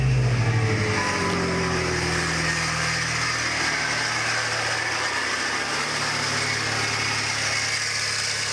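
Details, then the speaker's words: 2001 Chrysler PT Cruiser at start-up: starter catch then a sliding whirring tone settling into idle, coming from the fan belt area; owner suspects power steering pump, idler pulley or A/C compressor, source not yet found. "so that's what it sounds like and that does sound like it's coming from from here from you know it does sound like it's coming from right there"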